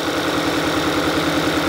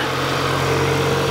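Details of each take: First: 2022 Kia Sorento, idle with check light flashing: steady pulsing beat with a recurring stumble, cylinder two already misfiring and a coil unplugged for testing; cylinder misfire. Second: 2022 Kia Sorento engine, after misfire repair (plugs, coils, wiring, injectors checked): smooth, steady idle with even hum, no stumbles or skips; no misfires in data; normal idle after repair.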